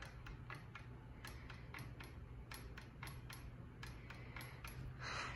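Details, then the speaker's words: 52-inch Redington ceiling fan: steady hum with a sharp, unevenly spaced tick about four times a second plus buzzing; fan runs slow and sags; owner suspects something inside the motor housing, cause not confirmed. "it's saggy it's slow and it just clicks a lot i don't know why and it buzzes too"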